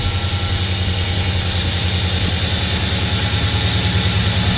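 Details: Nissan Frontier with Titan VK56 V8 after alternator relocation, 6-rib belt fitted in place of 7-rib with idler pulley spaced out: deep, steady idle, even low rumble, no belt squeal or chirp. Normal idle.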